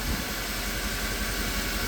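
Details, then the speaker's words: 2010 Mercedes E63 AMG just restarted after valve covers were removed to inspect the cam adjusters: a low, even idle with no ticking or misses. It runs smooth, but the owner says that is nothing new. "All right. So far so good. Appears to be running very smooth. Again, nothing new."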